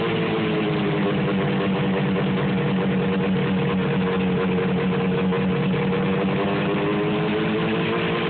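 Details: 1973 John Deere JDX8 snowmobile on snow for the first time: steady low two-stroke idle with a slightly wavering, uneven beat; rough idle, cause not confirmed.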